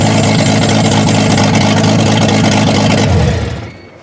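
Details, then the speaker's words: 1989 Jeep YJ started during exhaust work with the exhaust pipe unhooked and the O2 sensor disconnected: very loud, raw, blatting fast idle with a harsh low rumble, then dies away; open exhaust. "So I just turned the key on. I do not see any fuel leaks. And we're going to prepare for a very noisy experience."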